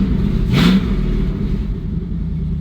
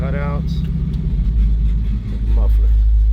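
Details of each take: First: Chevrolet C10 truck V8 idling after frame crack welded and exhaust reconnected; loud, deep, open rumble with no tapping or puffing because the exhaust cutout is open, not a leak; muffler sounds good either way. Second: Possibly 1970 Chevrolet C10 V8 after frame crack welded and exhaust reconnected, possibly Flowmaster mufflers with a cutout, in park before warm-up: deep even burble climbing smoothly on throttle blips, no misses or rattles; healthy exhaust.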